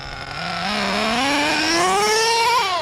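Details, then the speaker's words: Redcat Earthquake 3.5 nitro RC truck with two-speed gearbox on Bones Brew 30% nitro 10% oil fuel, warmed up; engine screams up then sags sharply as second gear engages; owner notes heavy smoke so not lean; bog on gear change. "you heard that I've been having that ever since I bought this truck it doesn't turn off I want to try to engage second gear it's like ridiculous bogging"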